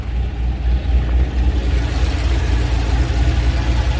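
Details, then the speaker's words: C5 Corvette Z06 V8 after the heads/cam/intake swap: BTR Stage 3 cam, CNC 243 heads, FAST 92mm intake, LS2 throttle body, 1 7/8 headers with X-pipe. Deep, loping, choppy idle with no knocks or ticks; not obnoxiously loud but the cam is clearly audible; healthy. "It's not obnoxiously loud, but you can definitely hear that cam."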